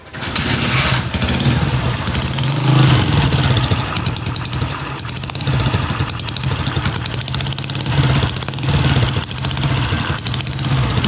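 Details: Honda CG 125 Euro 2 motorcycle at idle: rapid, sharp ticking and puffing that sounds like loose tappets in the head, but actually comes from a leaking, damaged pressure pipe.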